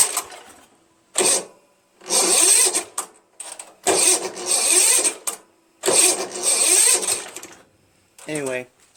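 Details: Craftsman (Yard Machines) chipper shredder flathead engine after cylinder head clean-up and sandpaper valve-seat job: several short, whiny cranking bursts with silences, never catches; the weak old starter struggles and smokes slightly.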